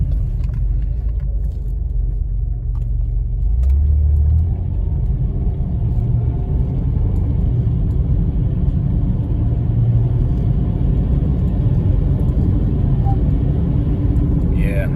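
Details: ZF 4HP18 automatic gives a brief high squeal, dropping in pitch, on the 2-3 upshift over road and engine rumble under acceleration, louder with harder acceleration; oil changed four times, filter cleaned, governor seals replaced without help; owner suspects the clutch pack.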